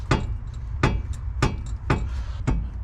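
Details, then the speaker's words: Chevy Sonic front suspension being worked, after knocking over bumps: sharp deep clunks about every 0.6 seconds in a steady beat on one side only; worn lower ball joint knock. "You can't see it, but you can definitely hear it. All right, I don't have too much time, but I found a culprit. [music] It is a lower ball joint."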